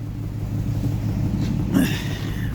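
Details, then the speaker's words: Nissan 350Z V6 idling rough with a stumbling low rumble: misfire, heavy exhaust smoke, check-engine light on; scanner reads cylinder 4 misfire. "Nagmi-miss fire tapos ah nag malakas na yung smoke sa exhaust niya."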